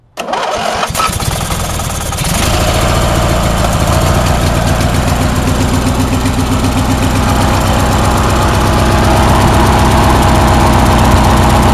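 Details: Briggs & Stratton opposed-twin engine after a fuel pump kit, started with no choke on a low battery; it catches right away with a brief stumble, then settles into a steady, even twin-cylinder beat with no knocks, though still needing a tune-up.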